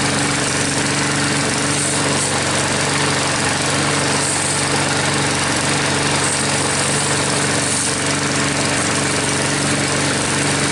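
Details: Troy-Bilt mower with a "Frankenstein" engine built from another engine's parts, just started after a head gasket replacement and still hard starting: a steady, even single-cylinder drone at constant speed, no knocks or misses; no leaks seen after about five minutes.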